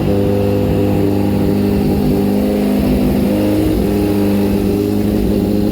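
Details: 2004 Kawasaki ZX-10R, lowered and just finished being built, after only a brief earlier warm-up: cold start, firing crisply, with revs rising and falling smoothly and a clean, even exhaust note. Normal and healthy.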